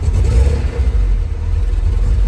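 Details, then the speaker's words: Opel GT, which had been producing steam: a low, uneven idle rumble that wavers up and down instead of settling, with the foot steady on the accelerator and the fuel cap off; runs even worse uncapped, cause unconfirmed. "It's up and down all over the place. So I've now taken the fuel cap off and it runs even worse."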